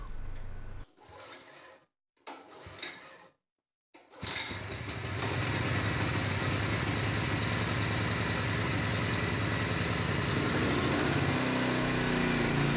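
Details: Derelict Honda HS35 snowblower small engine, started after fuel valve opened a minute beforehand: after a few pulls fires and holds a steady, even chugging run without surging or dying; running healthy.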